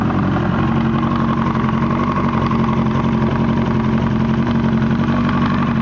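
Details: 1998 Yamaha R1 after an accident, rough idle with an irregular knock around twice a second and a faint whine, louder from the engine's right side, plus exhaust backfire; owner suspects cam chain sensor, clutch basket or valves.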